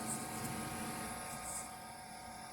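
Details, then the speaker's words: Red Bull commercial refrigerator that wouldn't start, faulty thermostat with no continuity bypassed by jumper: compressor and condenser fans run with a smooth steady hum and whir, normal fan running. "y ahí está trabajando y el compresor y está trabajando también lo que viene siendo los abanicos"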